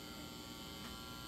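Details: Marshall JCM800 Lead Series valve amp after power supply repair, hum balance set for minimum; only a faint steady low buzz, no crackle or swelling, normal low mains hum.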